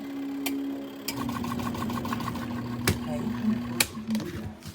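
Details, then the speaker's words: ZenStyle portable twin tub washer/spinner, two days old: spin timer ticks over faint steady hum but no whir builds, also nothing on drain; spin motor not running while wash timer works. "Spin timer. It's right there. Nothing. It is not spinning. Nothing's happening. You can hear the timer going."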